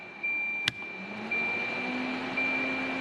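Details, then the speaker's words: Volvo 740 with electric radiator fan wired through the relay with a cab switch bypass (thermal switch not yet fitted), key on: click, fan hum climbs from low to a higher pitch under a chime; fan running normally on high speed. "this will be low speed i don't know if you can hear the fan but it's running low speed you should hear a pitch change when we go to high speed"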